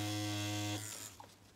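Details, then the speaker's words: Primus direct-drive rotary tattoo machine at about 4–6 volts, no other adjustment: smooth even high buzz for under a second before cutting off; runs steady and healthy. "voilà en tout cas un primus franchement elle marche super bien elle trace des traits de dengue"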